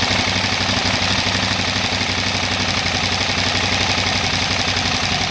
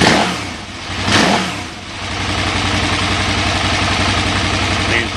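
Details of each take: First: 2008 KTM 990 Adventure that won't idle unless in neutral: V-twin idling near 1450 rpm with fuel pressure at four bar sags lower and lumpier once the neutral switch is disconnected, dropping below 1100 rpm and nearly stalling. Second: 2008 KTM 990 Adventure V-twin that normally won't idle unless in neutral, with a fuel pressure gauge fitted at four bar. The engine blips twice, then settles into an even, steady idle with no stumbling, running normally.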